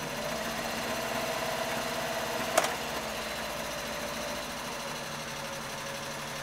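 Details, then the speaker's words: Triumph Herald 13/60 engine, cold start after sitting several days, idling on choke; temperature gauge only creeps just above the first section when cold. Quiet, quick, even ticking with one brief clatter midway, settling smoothly; choke works, normal idle. "it kind of just creeps above the first section at cold and that's it really so um yeah it's that's it really I mean choke choke works"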